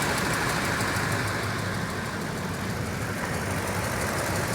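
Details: 2007 Toyota Tundra 5.7L V8 at about 170,000 miles, warm idle: fast, light, even ticking following rpm, mainly on the driver's side, after warm-up; unchanged by Moly additive or a switch from 0W-20 to 5W-30, dealer calls it normal.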